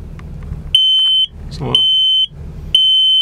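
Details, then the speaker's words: 2004 Chevy Express 3500 Roadtrek Popular 190 combined smoke/CO alarm (Kidde, 10-year sealed battery, recalled sensor cap) on test, buzzer muffled by a finger: loud high-pitched half-second beeps repeating once a second, so the alarm works. "So we just run this. I'm gonna keep my finger over the buzzer so it's not too noisy."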